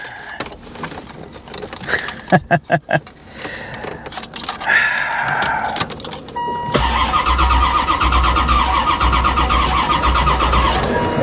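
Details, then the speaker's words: Salvage-auction C4 Corvette believed sabotaged, fuel pump heard running, on a booster pack: the starter churns the engine steadily for several seconds but it never fires. Cranks well, no start; cause unknown. "yeah i mean she sounds like she cranks pretty good though so whatever is wrong with it as far as why it won't start"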